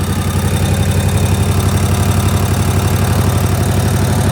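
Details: Snapper mower small single-cylinder engine, after choke and throttle, idling steady and even at about 1400 rpm on a newly fitted tachometer, no misses, knocks or hunting; healthy idle.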